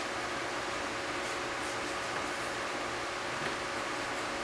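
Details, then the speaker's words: Ford Ranger with a previously loud engine fan: after startup it stages down to a soft, steady airy whoosh with no roar, which is the normal sound of a properly disengaging fan clutch. "already a lot quieter than it was earlier I had to yell over it the whole time before you hear she just stage down again and that's that's what it's supposed to sound like you should just barely hear that fan blowing"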